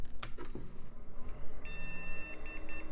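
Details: Salvaged retro PC on test with borrowed CPU, memory and power supply: one long high beep then about four short beeps, a POST memory error traced to dirty RAM slots, fixed by cleaning with DeoxIT.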